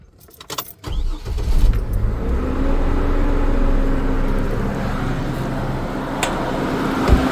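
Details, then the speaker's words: 2002 GMC Envoy, just after a new fan clutch was installed: the engine catches and runs steadily with no squeaking or clicking. The fan slows down much more than with the old clutch, so the fan clutch is working normally. "well it sounds like it's doing its job it's slowing down definitely a lot slower than the previous one was"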